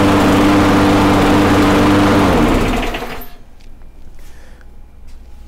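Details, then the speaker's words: Briggs & Stratton Quantum mower engine after governor speed adjustment (was revving too high): holds a steady high governed speed with even buzzing tone, slight spitting as carb needs tuning, then shuts down and spins to a stop; speed now correct. "so it's spitting back and forth a little bit because it needs to be tuned a little bit better but the engine speed is good to go so we're now set on that one"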